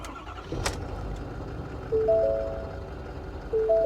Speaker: she sounds good